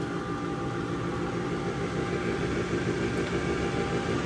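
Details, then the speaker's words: Upgraded Harbor Freight Central Machinery dust collector running with table saw duct open: smooth, even rushing roar, steady hum, no surging or rattles; pulling air strongly, normal running. "But yeah, like I said, if I just open up a few ducts and walk away, it'll clear the room out really quick."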